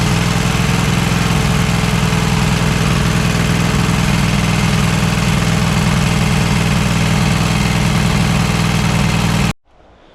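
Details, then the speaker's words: Cub Cadet XT1 lawn tractor V-twin at idle after an oil-leak reseal and head gasket replacement: an even idle with a light, fast ticking about four a second. Valves on one head were way out of adjustment and were then adjusted. "So, it's running good, but I think it sounds like the valves are not not adjusted, especially on the on this side. on this head."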